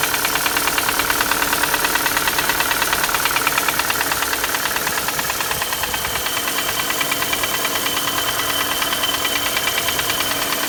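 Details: Chevrolet Cruze 1.8 Z18 engine at idle: sharp, even metallic ticking knock around three per second over a steady idle; engine knock, source unidentified.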